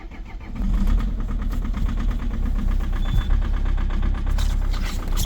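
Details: Peugeot/Citroën 2.0 HDi diesel with EGR off, cold start at -8°C: the engine catches into a fast, hard, even, loud knocking clatter at idle; a cold diesel knock.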